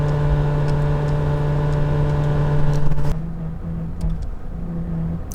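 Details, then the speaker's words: 2017 VW Golf Alltrack (MK7) original HVAC blower motor at max speed: strained, droning loud whir for a few seconds, then it switches off with no airflow; failing after a year of intermittent speed drops. "Really bad at max speed. About a year ago it became I started having an intermittent problem where the speed would drop maybe once a month, and then it would go back to normal after about a minute."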